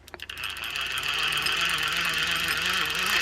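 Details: Hand-turned fishing reel gives a gritty, scratchy grind with rough ticks about three per second. Possibly lack of grease, a gear or a bad side plate bearing; this is not confirmed.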